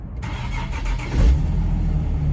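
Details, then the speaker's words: Nissan 370Z drift car after a new custom tucked exhaust with custom Y-pipe, flex pipes and exhaust cutouts closed, first start: soft, even low rumble, super quiet, with no ticking or puffing; the earlier exhaust leak is gone. "right as you can see super quiet no more exhaust leak like you heard in the beginning of the video"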